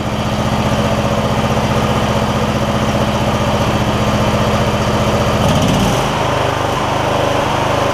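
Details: MTD Lawn Chief garden tractor V-twin after debris found in the intake, suspected cause of the problem: steady even beat with no surging or stumbling, settling as speed changes, run for a while to check for recurrence; normal smooth running.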